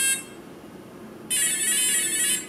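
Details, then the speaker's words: Align RCE BL80X/BL50X ESC programming via transmitter, electronic timing set to mid (default): short high blip, pause, then longer buzzy tone from the motor, the ESC accepting the setting. "go ahead and move the stick to the middle position which is mid timing that's the default and not do anything so there's the acknowledgement that accepted this edge"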